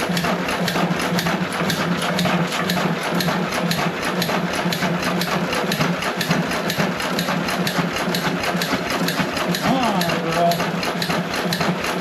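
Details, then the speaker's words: John Deere 1.5 hp hit-and-miss gas engine first run after repair, no water in hopper: even chuffing beats about two a second, no knocking or banging; normal hit-and-miss running. "I'm going to not tou it as long as running CU if it hooks around something it's going to try to St up but the engine is hitting the Miss and running"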